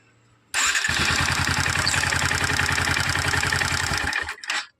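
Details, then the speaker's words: BS6 Bajaj Pulsar NS 125 carbureted motorcycle engine started briefly, loud rapid metallic clatter from loose valve tappets, worse after about 10,000–14,000 km, before tappet adjustment, which should remove the noise. "अभी मैं टैपिड set कर दूँगा तो आवाज़ बिल्कुल ही ख़त्म हो जाएगा।"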